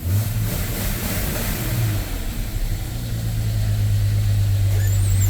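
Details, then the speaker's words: Jeep Comanche started after two years sitting, once the wrongly set distributor was corrected: catches and runs steadily with a firm low drone, revs climbing smoothly with no misses; normal running and revving. "Oh my goodness. It was Oh, the distributor. Yes, it was wrong this whole time."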